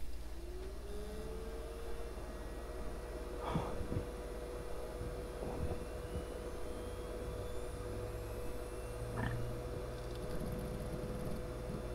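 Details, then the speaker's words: Replacement cooling fan in an ARAID 3500 backup drive, a cheap swap to cut server-room noise: fan spins up and settles into a faint, steady, smooth, quiet tone, blowing air properly. "what a difference oh my goodness I have to actually make sure that this is working and it is sure enough she's blowing air beautiful"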